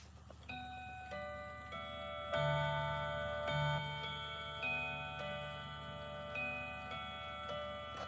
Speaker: All right, let's listen to this thing in action. So the chime's already on. Let's listen to this.